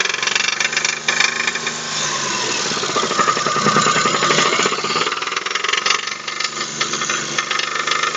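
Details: Daewoo Matiz 0.8 engine after the front crankshaft oil seal was pushed out in frost and the oil leaked away: harsh metallic knocking hammers through the idle, loudest mid-clip; spun crankshaft main bearings.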